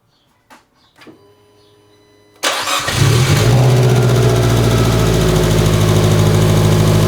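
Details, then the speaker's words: Fiat 500 Abarth first start after new cylinder head install, O2 sensor accidentally left unplugged: a few clicks, then lumpy, uneven rough idle; after plugging the sensor in it idled fine. "I forgot to plug in the O2 sensor, and it was running extremely rough. Idle was bad."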